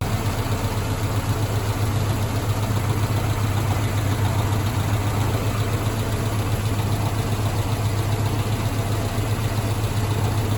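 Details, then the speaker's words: Mazda B2000 daily-driver truck idling after a fix for a knock traced to the #2 connecting rod: new rod bearings fitted on an unturned crank. Even, steady low idle with a smooth regular beat, no knocking or ticking; engine sounds healthy. "Um, so I've been uh running like this for some time now. I wanted to uh actually needed to get this thing back on the road cuz again, this is my daily driver and uh so it's been doing fine."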